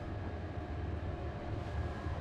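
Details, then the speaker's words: Chinese diesel forced-air cabin heater on a liveaboard boat running normally with a steady low rumble and airflow; no fuel pump ticking heard. "entend pas du tout la pompe juste de voir assez content de mon installation"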